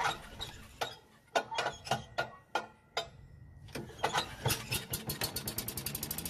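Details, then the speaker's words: Yardman walk-behind leaf vacuum/mulcher that won't start after storage, tested with starting fluid: slow uneven cranking pops, then the small engine catches and races; starts-then-dies test points to the carburetor or stale gasoline, carburetor suspected. "Now if it starts, runs, and then dies, then there's a problem with the carburetor or even the gasoline."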